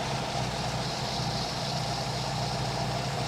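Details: 1952 MG TD idling evenly around 850–900 rpm with a steady low beat and no hunting after timing set to about 7° initial, 29° total and idle readjusted; idling well.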